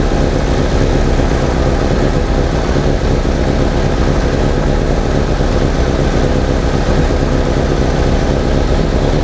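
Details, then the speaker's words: 1987 VW Vanagon that was misfiring and stalling, after a ballast resistor was added to the ignition coil circuit, HC down from 500 to 200; low, even idle with smooth steady rumble, no stumbling; running better and smoother. "since the ballast is on it's definitely running better and smoother than my 8c came way down too"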